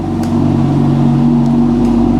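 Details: Manual BMW M2 salvage-auction car, about 33,000-38,000 miles, cold idle on a roughly 5°C day, warming up. Steady, smooth engine note with an even hum and no knocks, misses or rattles: normal cold idle.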